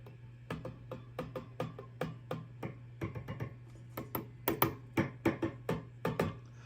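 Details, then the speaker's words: Marshall DSL201 tube amp after socket, jack and pot cleaning: steady low hum, and each light tap comes through the speaker as a hollow ringing clunk; preamp tubes microphonic, three need replacing. "Those are microphonic. The tube wants to be microphonic."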